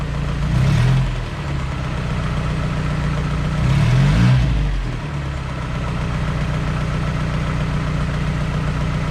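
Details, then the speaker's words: Light steady ticking at idle that speeds up with two short blips, following rpm, on a car running rich with fuel in the exhaust before a compression test; owner suspects the lifters, unconfirmed. "yeah i think it might just be the lifters i think it might just be the lifters yeah so you can i think it might just be the lifters because it goes with the rg rpm so"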